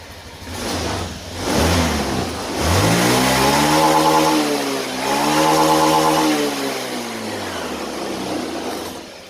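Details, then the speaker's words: Honda Beat injection scooter after routine service and five minutes of warm-up idling: two crisp full-throttle blips rise and fall smoothly, then a steady, even idle. Running normally. "Oke Setelah 5 menit kemudian teman-teman lakukan Gas sampai pol ya teman-teman satu atau sampai dua kali itu sudah cukup"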